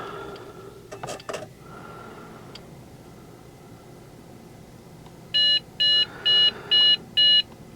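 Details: Trash-picked Dell Inspiron 660s just after adding a second 4 GB RAM stick (one stick later found loose): quiet room, then five evenly spaced loud beeps about half a second apart; POST beep code read as CMOS battery failure.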